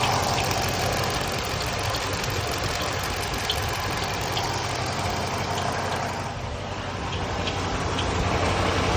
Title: Hemi Charger Chirping noise